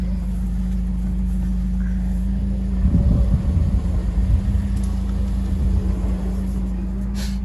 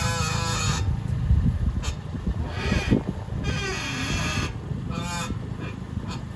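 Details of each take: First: 2015 Toyota Corolla LE with electric power steering, wheel turned with handbrake on after a temporary tie rod fix: steady low engine hum with brief low rumbles and no whine or squeal; worn tie rods caused the earlier whine. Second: 2015 Toyota Corolla LE with electric power steering: a honking, groaning whine comes and goes in bursts as the wheel turns, also felt in the wheel and brake pedal, from a dry worn outer tie rod; owner feared the steering rack or strut mounts.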